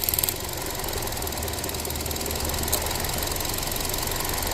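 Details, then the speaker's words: Ford Transit Connect that dies randomly, idling: rapid light ticking about three a second, rising and fading; purge valve stuck open, pulling raw fuel-tank vapour that floods and stalls the engine; replacement needed. "what happens when this thing gets stuck open and it's not supposed to be open but it's pulling a ton of vacuum and stuff like that and it's sucking all kinds of raw vapor from the fuel tank but the engine's not ready for it it'll FL it out and it will die out"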